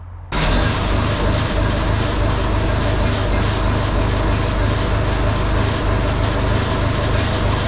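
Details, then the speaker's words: Case 1835B diesel after piston pump reassembly, weak battery swapped for a good one: catches at once, settles into steady even low rumble with no misses; starts and runs fine. "All right, so I figured out the electrical problem, which was the battery was just didn't have enough juice in it, so I had to steal the other boat battery. So try to see this thing start."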